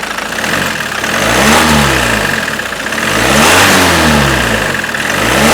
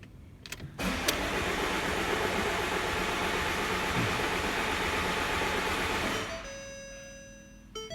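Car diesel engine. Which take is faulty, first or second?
second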